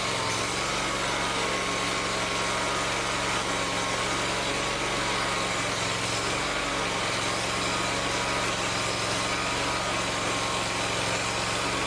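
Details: Lawn tractor with a long-running fuel problem, after installing an electric fuel pump: small engine settles into a steady, even run with no misses or surging; fuel delivery sounding healthy.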